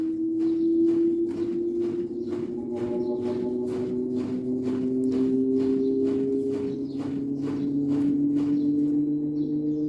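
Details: Daewoo direct-drive inverter washer-dryer (9 kg wash, 7 kg dry), spin ramping up: loud siren-like whine climbing in pitch with rhythmic clicks; not bearings, faulty motor stator hall sensor, fixed by replacing it.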